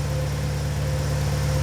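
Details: 2004-2006 BMW 116i E87, N45B16 1.6L race car, remapped ECU, special exhaust, single pre-cat oxygen sensor not yet hot: smooth, even low idle, steady hum, no knocks or misses; normal cold-start idle.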